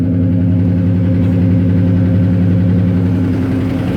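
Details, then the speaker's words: 1993 Ford F-150 first start after 18 years of storage, lifters collapsed from sitting: a steady, fast idle holding well above normal speed with no settling down; the engine wants to stay idled up really high. "the issue we're having a little bit is for some reason it's wanting to stay idled up really high."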